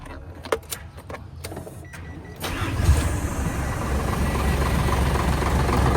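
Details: Hino JO8C diesel truck, in-line injection pump, 210 hp, in very good condition: brief cranking, fires at once and settles into a steady even idle rumble; starts very easily, normal cold start.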